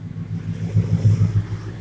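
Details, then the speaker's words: 2000 Ford F350 5.4 V8, after intake replaced for coolant crossover leak and new spark plugs, camera near tailpipe: deep even exhaust rumble swelling through short throttle blips, no misses or rattles; normal revving. "I'm gonna see if I can get a couple of revs out of it for you guys. Sounds pretty good though."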